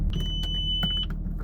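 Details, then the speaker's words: 2005 Audi A6 Avant 2.7 V6 TDI at idle, microphone in engine bay: thin steady high-pitched whine about a second over the diesel idle from the power steering pump; steering works well but pump is noisy. "There comes that noise. That's from the power steering pump somewhere here. The power steering pump is very noisy though."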